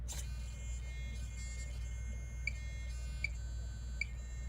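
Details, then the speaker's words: Traxxas TRX-4 axles with servo-on-axle mount on an NWSD Scattergun, setting steering end points: constant buzz and thin whine at full lock as the servo strains. Fix is to turn travel down until the racket stops, then two more. "and i can hear the servos straining so i've just turned down the travel until until the servo stops making a racket when i turn full turn"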